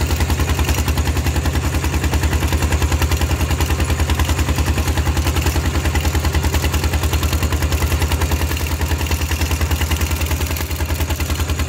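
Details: Steel-wheeled diesel tractor ploughing a rice field with a loud replacement exhaust pipe: hard, even thumping about 150 a minute, loud and raw under load; an open, unsilenced exhaust.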